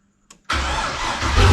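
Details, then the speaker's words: GQ/Y60 Nissan Patrol with turbo LQ9 LS V8, BorgWarner S482 turbo, Holley Terminator X ECU, 1650cc injectors, dead cold, not run for probably two days: brief crank, catches at once and settles into a strong, even idle; normal cold start. "the car runs actually runs really good it's dead cold now i will start it up in a sec"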